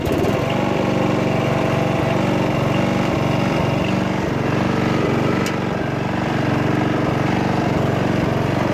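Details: Toro Wheel Horse 8-25 ride-on mower after repair: small single-cylinder engine runs steady and even at constant speed, no knocks, misses or surging; healthy and ready to mow.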